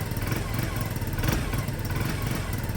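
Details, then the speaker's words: Peugeot Satelis scooter, first cold start after restoration on its automatic choke: a steady, fast little putter with no knocks or misses that settles into a smooth idle but won't rev yet. Normal cold idle. "doesn't want to rev yet but the automatic um choke"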